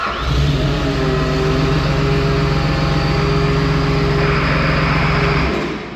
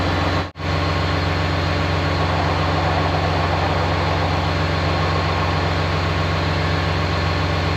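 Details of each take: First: Ex-military John Deere 850J dozer with rebuilt engine, just started: a heavy diesel drone sounds held down and strained, its pitch sagging, because the hydrostatic pumps still load the engine at idle; owner thinks the transmission needs calibration. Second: Rebuilt engine in ex-military John Deere 850J dozer, restarted at the brake, no load: deep, steady diesel rumble with even beat, no strain; normal idle.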